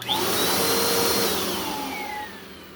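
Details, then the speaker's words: 2017 Bissell Powerforce Compact 2112 vacuum after brush roll bearing swap: thin whistle over steady motor roar, falling in pitch as the motor winds down; air leak somewhere, not the brush roll; air leak whistle. "I'm going to run this for a second just because there's some type of like an air leak somewhere, and it sounds like this."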